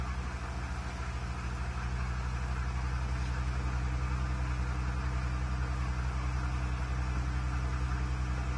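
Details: Vehicle with three-month rough idle after new water pump, spark plugs and ignition wires: uneven lumpy idle stumbling about four times a second, misfire; owner hears a hiss and suspects a vacuum leak, unconfirmed.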